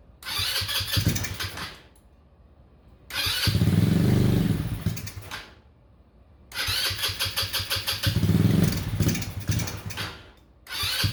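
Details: Honda Ruckus after replacing the failed fuel pump with an OEM Honda pump and priming the line: several cranking bursts, then the single-cylinder engine catches and settles into a steady putter. It starts and runs normally now.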